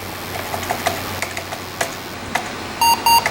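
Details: 1996 Monorail 7245 all-in-one desktop, power-on via rear hard switch with OS wiped: scattered clicks and hard drive spin-up, then two short high beeps; normal AMI BIOS POST beep (P75, 16 MB RAM, CMOS battery message).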